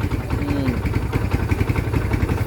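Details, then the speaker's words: Kawasaki Barako 1 single-cylinder started after a connecting rod repair; the noise began after the bike was ridden hard. It now putters steadily and evenly at idle with no knocking, quiet again; normal idle. "Balik na siya uli sa dati niyang tunog na okay na siya. Okay. So ayan na mga idol. Okay. Mahimik na siya uli."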